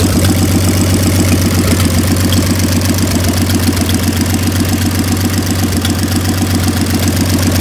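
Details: 1926 Oakland started after 75 years, with a rebuilt generator being hooked up: a low, steady idle at about four even beats a second with no knocks or misses; normal idle.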